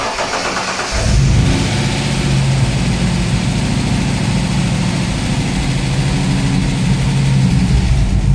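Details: TVR 290 S on MS2 with Ford TFI black CCD module, after months of setup: catches on first crank and settles to a steady, even idle with no misses or stumbles; starts well, healthy running.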